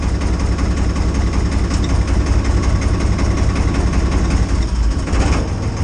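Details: IHC 633 tractor, 3-cylinder 3-litre diesel, cold start at minus 10 °C after using a jump starter: heavy, low diesel thrum, even and firm at idle with no stumbling after two initial misfires; running well.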